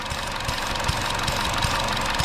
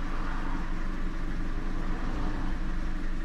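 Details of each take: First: Chevy Sonic with a P0171 lean code, no leaks found on smoke test: at idle with the EVAP purge valve hoses disconnected, a constant airy hiss. The valve is stuck open sucking air, so it is being replaced. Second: 2016 Chevy Sonic LTZ 1.4 turbo, which failed emissions, idling after fixing a purge valve stuck open and pulling vacuum; fuel trims are dropping. Even, low engine hum at steady idle with no misses, knocks or hiss; normal idle.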